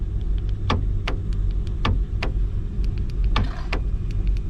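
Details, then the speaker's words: Chevy Malibu trunk latch: short sharp ticks and clicks from the actuator over a low idle rumble when the trunk button is pressed, but the latch never releases; the latch is faulty and gets replaced. "but it's not working so what we're gonna do from this point is replace the the trunk clutch"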